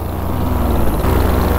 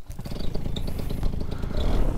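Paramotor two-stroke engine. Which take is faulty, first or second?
first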